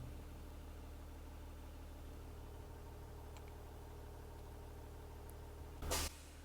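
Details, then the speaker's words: School bus with air brakes during pre-trip, diesel idling after startup as air builds: quiet idle, then a sharp hiss of about a third of a second as the governor cuts out the compressor with tanks at full pressure. "there's the first time you've heard that air compressor cut out by the governor shutting off the air compressor."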